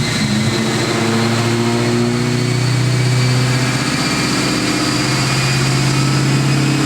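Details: Built, cammed supercharged 2003 Ford Mustang Cobra (~700 hp, Borla ATAK exhaust, 93 pump fuel) driving in cold rain after a retune that raised boost to 22 psi; deep, even V8 drone under road noise, no stumble or surging; normal running.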